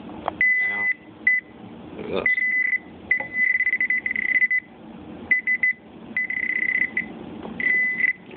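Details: Garrett Pro Pointer pinpointer that was falsing, beeping randomly and switching itself on and off, after tissue was packed into the back battery cap: clean beeps only near metal, no random chirps; now working normally.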